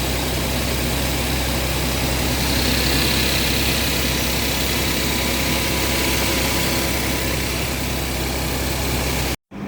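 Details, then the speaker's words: Audi Q7 3.0 TFSI turbo petrol, 333 hp, 150,000 km, cold overnight: starts without trouble and settles into an even, quiet idle with a steady hum, no knocks, misses or rattles; normal cold idle. "Мотор холодний після ночі. Питань нема. [музика] Завівся без питань. Працює рівненько, тихенько."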